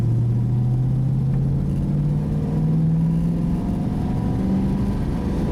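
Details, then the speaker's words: Car with an automatic, put in gear from idle and driven down the road: smooth, deep engine note climbing steadily in pitch under load, even and clean; healthy acceleration. "I just thought I will just take the car down the road here just to see you that it can actually accelerate quite nicely."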